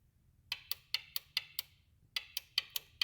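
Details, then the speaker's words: 2003 Honda Civic, VTEC not engaging and bogging (P1259): VTEC solenoid unplugged and tapped with jumper box and alligator clip gives sharp crisp single clicks, two bursts of about six; solenoid works normally, fault lies elsewhere. "time you tap it the mean the cylinder is good so if you have a big problem definitely not the solenoid"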